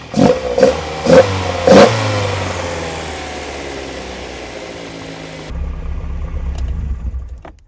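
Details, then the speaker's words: Unrestored original Lotus Elite sports engine after new spark plugs and carb tuning, reading 4.5 on all 4 cylinders, idling at 1100 rpm; several crisp throttle blips rise cleanly and settle without spitting or popping, sounding nice and sweet; normal running. "So basically I've got a reading now on this of 4.5 on all 4 cylinders, and that sounds nice and sweet."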